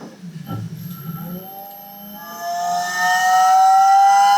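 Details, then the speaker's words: Car with a Volvo engine swap, fitted with an eBay electric-driven hydraulic power steering pump replacing the original mechanical pump: whine climbs in pitch then holds a strained note; battery too weak to feed it, owner hopes a bigger battery fixes it rather than the pump. "Sounds like an aeroplane. Alright, I think it does actually work, except that that battery is obviously not man enough to keep that going full time."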